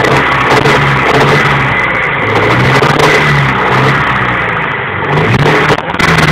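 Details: Honda B21A1 engine revving up and down with a deep, heavy rod knock running under the engine note.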